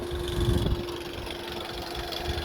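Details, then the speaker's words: VW Golf 6 / Touran TSI twincharged CAV engine, possibly a 2011, check engine light on, rattles at startup and driving: idle hum with faint uneven rattle; timing chain suspected, oil starvation possible, unconfirmed. "got a bit of a rattle here we did kind of pre-diagnose it you know what let's try and see what's wrong here take it from there yeah sounds like a timing chain"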